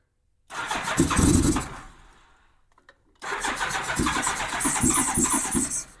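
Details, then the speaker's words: 1987 Honda GL1200 Gold Wing first start after many years, new 24 Ah battery, starting fluid, cold bike in cold weather, choke lever not working: two bursts of starter cranking without catching; owner suspects carb bowls still filling with fuel. "Going to take a little bit to get some fuel in them carb bowls probably."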